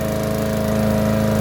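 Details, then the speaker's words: Yard Machine lawnmower after cleaning sand from the carburetor and fitting a new filter and cover, running about 30 minutes: smooth, even beat at steady speed; steady running, no surging. "if you can hear there's no surging whatever might have been stuck left in that carburetor worked its way out and there's no surging"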